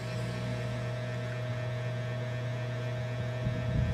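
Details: Imix CA18 pure-copper power amplifier after repair of its nearly all failed MOSFETs, waiting in protect delay: a steady low hum with a faint fixed tone above it, no crackle or popping. Normal mains hum.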